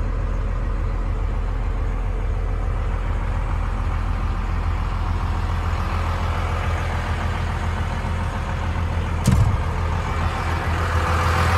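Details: 1995 Dodge Ram 3500 dually 4x4 with a 12-valve 5.9 Cummins diesel, five-speed manual, 45,628 miles, fully serviced: low, steady diesel clatter at idle with an even beat and no misses or knocks. A healthy idle.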